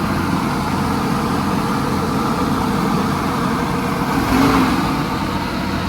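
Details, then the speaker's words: 1983 Chevy Holiday motorhome V8, first run after 10 years on old gas, smoking: steady drone idling at about 2,200 rpm with no dip; idle too high, may settle. "It's literally idling at like 2,200 RPM. Look at that right there. That's a little high, I think."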